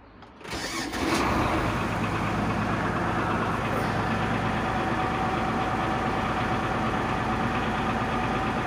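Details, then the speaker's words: MTZ 1523 tractor, diesel, 3,346 engine hours: brief crank, then it catches cleanly and settles into a steady, even idle with no misses or knocks; starts well and runs smoothly, normal start and idle. "заводится трактор отличную работает ровно"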